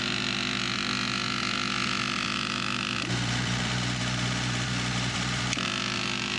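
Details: Vintage Coca-Cola truck abandoned 40 years, revived engine idling: steady, even idle under a constant hissy background, no knocks or misses; running healthy.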